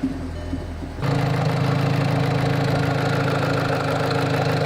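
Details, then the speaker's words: Volkswagen GTI with over 100,000 miles, after an engine oil-system carbon cleaning and a refill with 4.9 qt of 5W-30: steady idle with a light, fast tick about three per second, less mechanical noise than before cleaning. "If you compare that last noise after the cleaning to the first real noisy one, you can definitely hear there's less mechanical noise. There's less wear going on."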